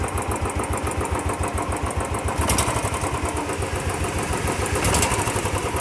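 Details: Royal Enfield Bullet single-cylinder after repair of hydraulic tappet noise: steady thump at a relaxed idle, even beats and no tapping from the top end; engine sounds healthy.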